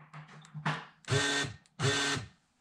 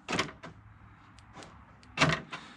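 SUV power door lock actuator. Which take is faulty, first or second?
first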